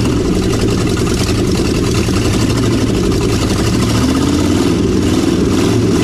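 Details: 1956 Chevy 3100 barn find with 396 big block, first run after sitting; loud, rumbling V8 idle stays steady and picks up cleanly when revved; running evenly.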